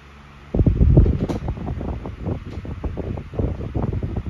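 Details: SMC TR-12 12-inch desk fan (2001–02), new old stock bought unopened: soft steady airflow hum with gentle low buffeting, no rattles, ticks or rubbing; quiet, powerful, dependable and running normally.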